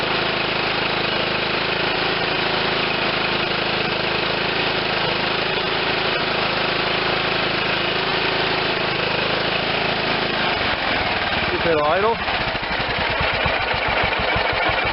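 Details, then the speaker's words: John Deere LT160 lawn tractor, Kohler Command 16 hp, after freeing sticky governor rod: engine chugs slow and uneven, loping and nearly stalling; idle speed set too low, adjusted via carburetor idle screw, clockwise raises it. "i'm gonna give it just a couple turns and let's see where the idle is it was way too low"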